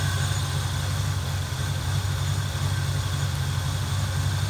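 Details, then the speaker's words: Fox body Mustang 5.0 before ECU repair: deep, lumpy, uneven idle; idle control not responding, traced to faulty ECU. "idle drop when you pull the connector off the iab that's a bad sign"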